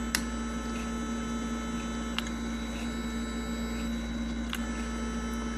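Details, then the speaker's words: 1992 Mercedes 500SEL throttle actuator bench-tested out of the car with original wiring: steady even hum with a few faint clicks when powered; working normally. "so we're going to activate the unit now so just put it on as you can see the unit came on and some humming sound"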